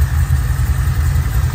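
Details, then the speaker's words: Pontiac G8 V8 at idle after reinstalling the engine with the destroyed torque converter replaced. Deep, steady burble with an even beat and no ticks or knocks; running good. "But she's running good."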